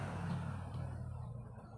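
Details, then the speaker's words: Old National electric/desk fan on speeds 1–3 gives only a steady low hum without spinning, no wobble felt; stalled motor from a failed run capacitor. "Mayon din number three yan Mayon din so at umuugong lang wala naman akong nararamdaman na ito ay ah may alog"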